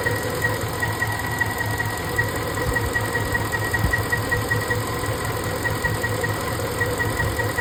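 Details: 5.4 3V engine idles lumpy and uneven with irregular stumbles, like one cylinder misfiring. While hunting the cause, the cylinder 7 injector was unplugged and rotated slightly, and the owner thinks it now works. Cause not confirmed.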